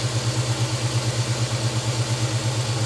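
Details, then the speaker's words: 1956 Chevy small-block V8 after revival, PCV valve added to cut blow-by, in park: steady, even, healthy idle, slightly fast, no stumble or knock. "this sounds pretty good idling a little fast there but hey we're good"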